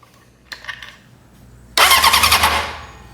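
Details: Junkyard Honda CB750F that sat for decades, after starter troubleshooting and work: a few light clicks, then the engine catches cleanly and settles into a steady, even idle with no grinding or hesitation; healthy start.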